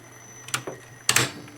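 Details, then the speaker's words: Tandberg TCD310 cassette deck with its cover partly removed: two sharp solenoid clacks, then no motor hum; the play solenoid engages but the capstan does not spin because the drive belt came loose. "you heard the solenoid and that's there's no spin there's no spin because the belt just came loose so you you can't fast forward"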